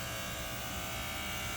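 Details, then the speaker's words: Old White Rodgers 8A05A-101 furnace transformer/fan relay buzzing with the air conditioning on: steady electrical buzz with high even hum, no engine; the unit was replaced and the noise stopped when power was cut. "really that's the one that's buzzing so i could have just replaced the relay but muzzle replaced the whole unit both of them are old"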